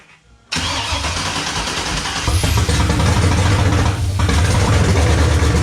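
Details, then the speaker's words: 1994 Chevy C1500 OBS with a 6.0L LS swap, first-ever start, run for about 10 seconds with oil but no coolant. A short crank, then the V8 catches at once and settles into a strong, even, throaty idle. Normal start. "Y'all saw that. Y'all saw the first startup ever."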